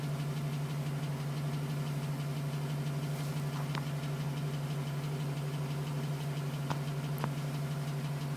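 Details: 2010 GMC Sierra with 2000 miles, cold idle. Light, fairly regular tapping, about three per second, over the engine hum; owner suspects piston slap. It was still tapping at 4 minutes and stopped at 5:42 once warm.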